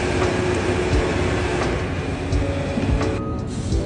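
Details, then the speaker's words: JLG 660 engine-powered boom lift with no high speed or high idle: engine holds a steady low drone and never picks up when high speed is selected; limit switches checked good, faulty speed selector switch suspected. "start the engine keep it slow slow high speed engine should I don't look she's not even doing that still slow"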